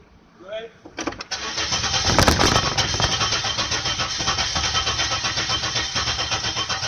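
The starter churns steadily at nearly three pulses a second for several seconds, but the engine never fires or catches.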